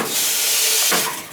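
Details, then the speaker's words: Dishwasher and washing machine supply valves (packing tightened) on a house where the owner reported water hammer: steady water hiss fades smoothly as the valve closes, no bang or thump in the pipes at shutoff; normal shutoff, no water hammer. "Yeah. See how they move, but it's not making no noise?"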